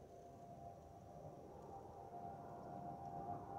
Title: 💛🖤💛Spirit Airlines Airbus A320-232SL #N628NK NK2001 MYR-DTW (FOPP whistling sound)💛🖤💛